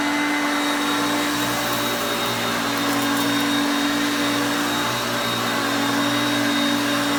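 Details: Hoover Concepts self-propelled vacuum on carpet. Steady, even motor whine at constant pitch, no surging or rattles; normal running.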